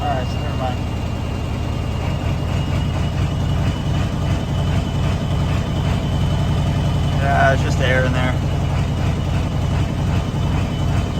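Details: 1994.5–97 Ford 7.3 Powerstroke diesel with 300k+ hard miles, after IPR valve replacement: an uneven, lumpy idle with a slight stumble. The owner suspects a dead cylinder or clogged injector; it later sounds better.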